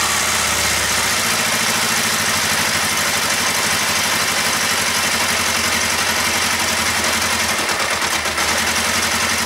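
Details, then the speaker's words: Kawasaki ER-5 with fuel tank off and radiator cap off, microphone brought close; loud idle with massive thumping, uneven lumpy beat and dropped pulses from the bottom end, intermittently firing on one cylinder; intermittent misfire. "Massive thumping, I'll bring you in closer. This sounds a bit loud in the bowels. So it's intermittently firing on one cylinder."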